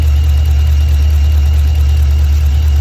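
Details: LS3/L77 V8 idling: deep idle with uneven lumpy pulse, running on seven cylinders; single-cylinder misfire traced to a failed injector, not the coil.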